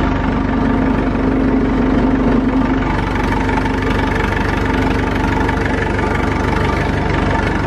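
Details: Massey Ferguson 165 tractor, four-cylinder Perkins diesel, tight and in good shape, started after sitting, no smoke: steady, even diesel clatter at idle with no misses or knocks; normal idle.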